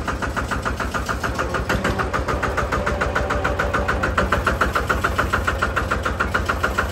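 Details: Single-cylinder Lister diesel on a Benford TS25 radial swing concrete buggy, recently repaired, fresh oil, low hours, new tires. Steady, even thump about three and a half times a second with a clean beat; runs healthy.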